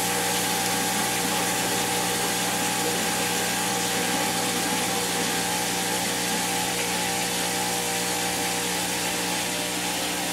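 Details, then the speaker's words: Maytag Neptune MAH5500BWW washer after motor and motor control board replacement, in the test's end spin and coast-down: even high whir, no knocks or grinding, winding down cleanly. Normal; PA shown, no codes logged. "oh okay cool uh yeah we got the uh end Spin and Coast down unlock door when RPM zero display PA on continuous for 10 seconds"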